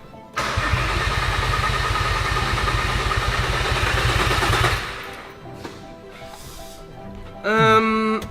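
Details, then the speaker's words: VW Caddy van after swap to a much bigger engine, fuel pump priming uncertain: starter spins about four turns a second for four seconds, never catches; wiring fixed, no fuel delivered. "I think everything is going to work, but it's just not getting fuel."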